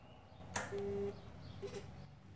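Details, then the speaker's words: Kawasaki Ninja 300 motorcycle, key turned on: a click, then a short steady electronic buzz and brief chirps, and it won't start. The fuel pump won't prime because the kill switch is on; the fault is not the battery. "The pump won't prime. I'm assuming that's the pump sound I'm hearing. The pump won't prime if your kill switch is on, which makes sense."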